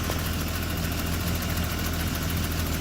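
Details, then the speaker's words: BMW E30 after fitting a used replacement alternator (old one undercharging, car took three starts): smooth steady idle, no belt squeal or chirp; charging now in the okay/green region, a normal idle. "this is a good alternator here too you can hear it there's no squeaking are the belts but they did a good job"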